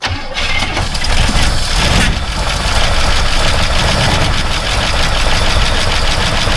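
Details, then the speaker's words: Buick estate car off the road since 2009, about 13 years sitting, cold start: it cranks briefly, then fires and settles into a steady, slightly rough cold idle, starting normally; vacuum leaks are still to be checked. "she tried give her a couple it is cold remember it's a cold start"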